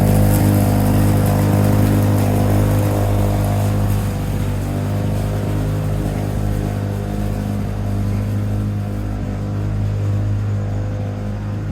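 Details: 1987 Lawn-Boy 8073B two-stroke mower, first run after sitting almost a year, new greased capstan rollers fitted: steady even drone with strong low beat, no misses or surging; hard starting but runs fine.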